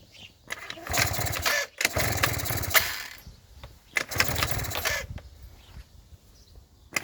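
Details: Yamaha Jog small two-stroke scooter that would not start, fixed by cleaning spark plug and tightening cylinder head; catches in bursts of blipped revs, then settles into a light buzzing idle; normal start and idle.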